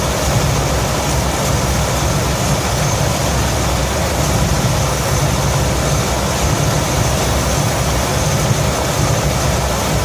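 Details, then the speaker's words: 1966 Ford F100 V8 after Pertronix electronic ignition upgrade, idle around 700-750 rpm: loud, fast, busy idle with hard beat; timing a little too far advanced, target 10 degrees BTDC. "so we just fired it up you could tell the timing was a little fast"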